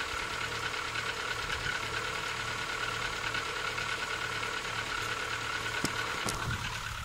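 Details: Rover 25 1.4 K-Series petrol, cold start before servicing: light, fairly quick dull hollow knocking over steady cold idle, background squeak is a door or gate; suspected piston slap.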